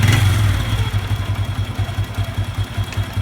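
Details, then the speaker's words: Honda Revo 110 (old Revo "jangkrik") at low idle: uneven clatter pulsing two to three times a second, sometimes sounding like valve noise, coming and going; a worn, rotten clutch housing is suspected before dismantling. "ada ada kayak suara klep kadang tapi hilang ngapanya ini kita akan buka saja yang takkan cek ya tuh kayaknya house kopling bosok"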